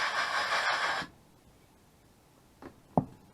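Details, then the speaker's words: 30-year-old Carver Cascade 2 water heater, corroded burner tube shaken by hand: a couple of short dry rattles of loose rust flakes tumbling inside; loose rust debris, shaken out before gas test. "Now, as we can hear, there is some loose debris inside that."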